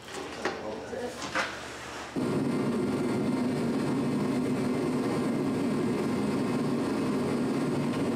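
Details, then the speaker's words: Challenger tractor diesel after exhaust leak repaired: a few handling knocks, then steady, even idle with solid low drone, no puffing or ticking; exhaust exiting properly, normal idle. "we just had it running and everything seemed all right all the exhaust is going out where it's supposed to sounds good"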